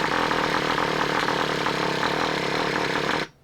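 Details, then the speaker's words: Traxxas Revo 3.3 nitro engine just swapped in, first start after priming by finger over the exhaust. It fires and buzzes about three seconds, then cuts out. Hard starting, and it is suspected to be flooded already. "Stubborn. Come on. Almost sounds flooded already."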